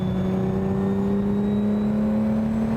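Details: The sixth production Lamborghini, with a four-cam V12 and an off-the-shelf ZF gearbox, on a road drive: a steady low whine rises gently with road speed over an even engine note. This is normal gearbox and drivetrain noise.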